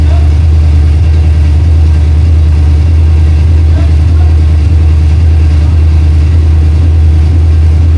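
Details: 1968 Mustang V8 on long tube headers, fired with a jumper bypassing a coil power wire fault (power only in crank): deep, steady, loud rumble with even beat, no knocks or misses; motor healthy, normal running.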